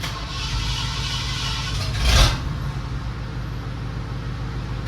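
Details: 1978 Ford V8 truck, jump-started with choke pulled: brief blip then settles into a steady, even low rumble; normal idle.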